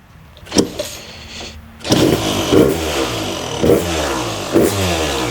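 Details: Freshly restored Kawasaki KX250 two-stroke after rebuild and cylinder sleeving, first start after five primes: crackles into life, steady idle with idle screw way out, a few sharp throttle blips; sounds crisp and healthy.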